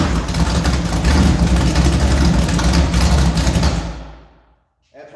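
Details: Randy French's 400 stroker V8, warm (engine temp 150) after cooling briefly: steady lumpy run, shut off, refires at once without touching throttle; healthy warm restart.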